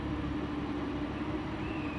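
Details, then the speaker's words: Audi A7 converted to S7, 140,000 km: steady low hum with no clunks when steering lock to lock, after tightening loose bolts, including a loose control arm bolt, that caused the knocking noise. "已经成功的消除了，看一下，完全没有这个声音了。"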